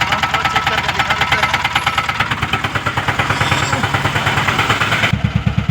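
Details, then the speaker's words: Mahindra Jeeto small diesel at idle after EGR valve wiring (cut ground and main wires) repaired and P040300 EGR open-load code cleared: sharp regular tak-tak ticking knock about three per second persists, no EGR fault; cause not yet identified. "Problem solve नहीं हुआ टक टक का sound आ रहा है पर ager का कोई कोड भी नहीं आ रहा है और एजर का कुछ फॉल्ट भी नहीं है अब यह साउंड क्या चीज का है क्यों साउंड आ रहा है"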